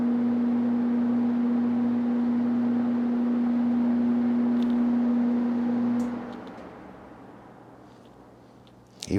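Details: 1969–70 Sears Kenmore (Vernco) box fan, 3.7 A 1/12 HP motor, not oiled: smooth, even motor hum with steady pitch, no rattle or scrape, then quiet spin-down; healthy fan.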